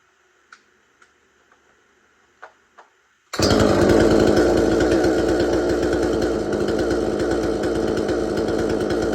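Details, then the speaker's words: Extremepower 8200XP 45cc chainsaw with a 22-inch bar, about a year old: a few faint clicks, then it fires at once and settles into a steady, even buzzing run with no misses. Normal running. "And it does run really good, and I'll try to do a startup onto this chainsaw and let you listen to it for a little while."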